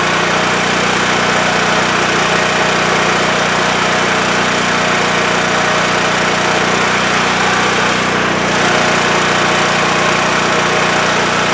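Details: WEN TF1450X 14500W tri-fuel generator after repair of a fault where it died after 20 seconds losing spark: steady, even drone holding constant speed throughout, no surging, dropping out or stalling; running normally, display reads 232 volts.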